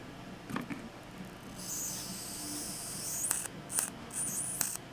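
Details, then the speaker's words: Sharp crackling snaps and sizzling hiss from a 1956 GE 14T014 black-and-white portable TV with the boost filter capacitor disconnected; high voltage arcing at about 7 kV, tested with a 0.01 µF 15 kV capacitor. "Wicked Arc that right there is a 102 at 15 kilovolt capacitor so that's a point o1 have 15 kilovolts"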